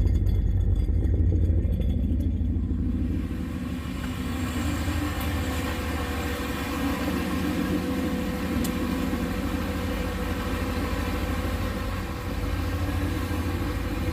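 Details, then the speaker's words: Boosted LS 6.0 in a Fox-body Ford with a Holley Terminator X-max ECU, initial start in a garage: a deep, steady rumble with an even low pulse and no knocks or misses, a healthy idle. "so that's what it would sound like if the exhaust was open actually sounds pretty good"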